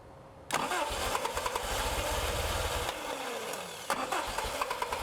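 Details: Toyota 22RE in a buggy with an all-new fuel system, throttle cable unhooked, after repairing the injector resistor wire: the starter churns it over at an even rhythm for a couple of seconds but it never fires. The replacement fuel pump lacked the correct fuel pressure.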